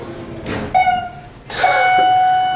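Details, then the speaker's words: Schindler RT hydraulic elevator, heavily worn: a call button press gives a short steady beep around 700 Hz instead of the usual two-tone chime; faulty, barely working chime. "It's not supposed to do that. Usually it chimes when you push the buttons, but wow, this thing is beat to hell."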